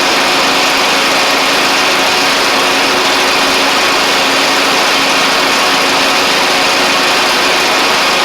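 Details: John Deere LA100 riding mower with 5-speed transaxle, long-sat, hard starting from valve issues, on the test run with the deck engaged: a smooth, even small-engine drone with the blades whirring and no misses, knocks or surging. The mower runs properly.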